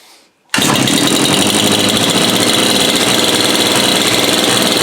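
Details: Two-stroke bush cutter first start after repair (dirty spark plug cleaned, clogged filter cleared), primer pumped and choked: fires within half a second, then steady high buzzy drone without stumbling; fixed and running.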